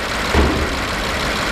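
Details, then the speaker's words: 2009 BMW 750Li N63 V8, previously misfiring on cylinder 7: rough idle with a steady rushing huff and brief thump; possibly a major cylinder pressure leak into the crankcase, pressure felt by hand, excessive crankcase blow-by, engine likely needs replacing. "major pressure cylinder pressure leak he goes to the crankcase and that's the reason why you do you see this and if I put my hung here I can feel the pressure"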